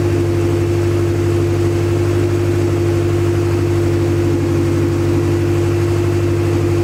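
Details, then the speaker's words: Acura Integra first start after crank, no-start troubleshooting: catches and holds a steady, even running note with a light lope, no knocks or misses; run only briefly, no coolant in system. "now I ain't that it running I'm not gonna let it run for too long because um my Dash is right here and I don't have any coolant in the system so I'm going to overheat or anything"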